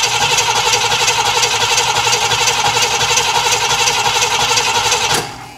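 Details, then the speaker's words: Cadillac Eldorado V8, cold, believed flooded after long cranking: steady quick cranking for five seconds with no firing at all, then the starter stops; a spark-jump trick that worked a week before fails; crank no start. "I moved it out of the shop, put it into the driveway, went back to fire it up a few minutes later, and just nothing, just like now."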